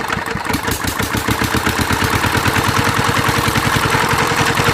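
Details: Mitsubishi NM85 single-cylinder diesel, about 40 years old, test run after repair: thudding at three to four beats a second with a dry rasping whirr from a worn fan bearing; injector and air problems also noted.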